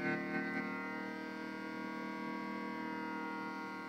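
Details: Xbox 360 powered on after sitting unused for years: steady buzzy multi-tone whine from loud cooling fans, suspected bad fan bearings.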